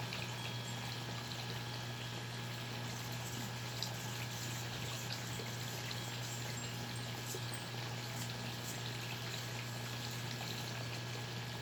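An even, unchanging low electric buzz with light bubbling on top. The air pump motor is running smoothly as it should.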